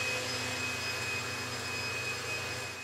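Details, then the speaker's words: BMW X5 on the bench with an Arduino simulating the crankshaft reluctor signal to the DME; after key off the injectors stop but the Arduino keeps pulsing and a pump keeps running for an indeterminate time, a continuous high whir with a thin steady tone; cause unclear, possibly a loop. "you can hear but there's a pump going on in the background um and it will go for an indeterminate amount of time"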